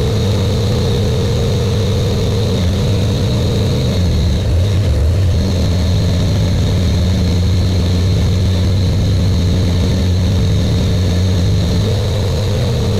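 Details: Buick Grand National with newly rebuilt engine, second 10-minute cam break-in run: steady, even fast idle with a smooth low drone, no knocks, misses or ticks; normal fast idle.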